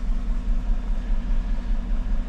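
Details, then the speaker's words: 2014 GMC truck, 5.3L V8, 81,000 miles, random misfire code, live data shows cylinder 1, no lifter ticking: deep idle with uneven stumbling pulse and irregular dips; dead cylinder from faulty ignition coil, confirmed by coil swap. "another 2014 GMC truck 81 000 miles on it it's got a misfire let's check it out"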